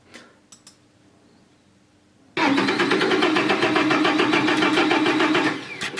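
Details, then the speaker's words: Iveco Daily diesel van: starter spins the engine steadily for about three seconds, around three and a half turns a second, but it never catches; long-standing crank-no-start that several workshops missed, caused by a faulty ignition/start switch. "là tu vois, ça ne peut pas commencer comme ça, et le propriétaire a dit que c'était comme ça depuis longtemps"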